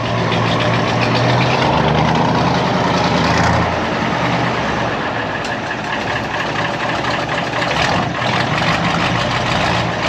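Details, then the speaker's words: Deutz V8 diesel in a MAN Kat truck at idle after injection pump timing adjustment at a diesel specialist: deep, steady, even beat; the earlier pap-pap knocking seems gone and the engine sounds smooth. "Ils son en train de toucher un peu à l'avance. et j'ai l'impression qu'il n'y a plus ce bruit pap, pap, pap."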